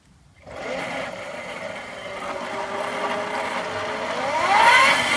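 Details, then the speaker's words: Razor Dirt Quad upgraded to 36 volts with new controller and reverse: smooth electric whine rising and settling with speed, no grinding or clicking; motor stops on brake, restarts on release, runs normally. "when you pull the brake and hear the motor stopped they grow the brake the motor starts again"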